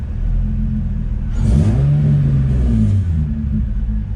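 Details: Nissan 350Z after limp mode fixed by a rubber grommet, throttle bodies ruled out: smooth idle swells into clean even rev and settles back, no misses, knocks or rattles; normal rev.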